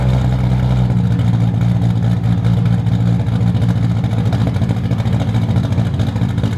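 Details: Toyota Supra with turbo, 4" stainless downpipe and exhaust, and remade 5" intercooler charge piping, running but not yet tuned: deep heavy exhaust rumble holding steady under light throttle, no misfires or rattles; normal running.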